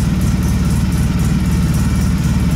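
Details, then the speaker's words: Polaris Sportsman 700 after an HMF fuel controller was installed: a deep, bassy, steady idle that sounds lower in rpm than before, with no knocks or misses. Normal idle. "It sounds like it's running a bit lower too, like lower RPM at idle, which is kind of sweet."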